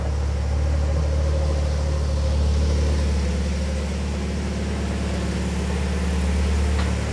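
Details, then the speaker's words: 2004–2006 BMW 116i E87 1.6L N45 just after replacing both inlet and exhaust VANOS cam timing adjusters to cure a top-end rattle; first start, still not hot; smooth steady quiet idle, no rattle heard yet. "I must say it sounds very quiet. I might be just might be just imagining it, but uh yeah."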